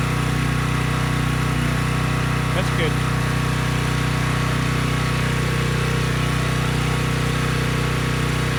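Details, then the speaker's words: Briggs & Stratton Storm Responder generator after cleaning a dirty carb (it previously would not run), running on a test tank and handling a 3000 W load: even, steady drone with a smooth regular beat, no misses; normal running. "okay good no surprises the engine started right up it sounds good and the generator head makes power and could handle the 3000 watt load without issue"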